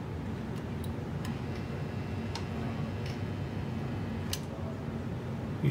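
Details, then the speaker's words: Lionel 1688 locomotive after cleaning the motor, armature and e-unit, on the test track: sharp separate clicks about every second over a light hum as the e-unit steps through neutral, forward and reverse, cycling properly. "You can hear the clicking of the E unit. That's a good sign."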